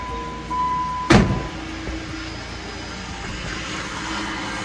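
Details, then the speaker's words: 2007 Jeep with newly installed Jasper replacement engine: after fixing swapped number 3 and 5 that caused a miss, it settles into a steady, even idle with no misfire; check engine light on. "Something super simple. Oh, we're purring like a kitten now."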